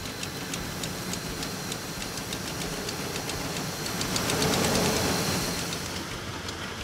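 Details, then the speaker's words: Lean-condition diagnosis with propane sprayed around the intake: a steady idle with a light tick surges higher for a couple of seconds, pinpointing a vacuum leak at a hose that looked knife-cut. "a little bit propane gets in there it's going to burn the engine is going to idle a little bit higher for a couple seconds you'll hear it surge"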